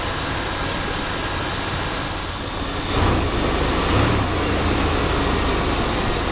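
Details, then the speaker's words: 1990 Chevrolet Silverado 1500, 350 V8, original owner, 54k miles, under the hood: steady low idle with a couple of brief swells, smooth and quiet, no ticking or knocking; no blow-by, oil cap not dancing; healthy idle. "Very quiet, no blow-by. You can see, cap's not dancing."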